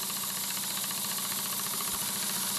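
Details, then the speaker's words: SteaMech twin-cylinder marine steam engine model running on one cylinder on compressed air: steady rapid chuffing under an even air hiss, no stumble; runs better and on lower pressure in this direction, still a slight bind one way. "Sorry about that. It actually runs better in this direction. You can hear that. I can run it on a lot lower air pressure"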